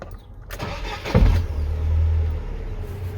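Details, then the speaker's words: GAZ Gazelle Next with a newly installed Evotech 2.7 engine: one heavy low thud into the body at start-up, and again at shutoff, then it idles. The thud is worse over bumps and on fast pull-away, pointing to loose cab body mounts. "прямо стук отдает очень сильно на кузов не знаю на камеру будет слышно нет когда глушишь один стук запускающие еще раз то есть при запуске и когда глушит двигатель очень сильно бьет в кузов"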